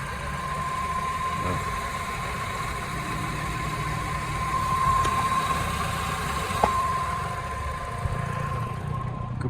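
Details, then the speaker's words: Peugeot 308 1.6 VTi 120 hp (EP6) at 87,000 km, whistling for about the last 1,000 km after an earlier cylinder head repair: a constant thin, single-pitch whistle over a steady idle from the accessory drive. A worn water pump or its tensioner is suspected. "depuis à peu près 1000 km j'ai un souci de pompe à eau je vais vous montrer le bruit que ça fait"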